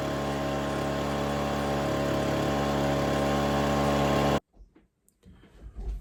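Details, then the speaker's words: Ryobi BP42 backpack blower, small two-stroke, with its gummed-up carburetor replaced with a kit; mixture screw (closest one) adjusted with a Pac-Man tool while running. Steady high buzz for about four seconds, then cuts out. "we're going to try to do it while it's running so we can hear what it sounds like but we're gonna do this closest one"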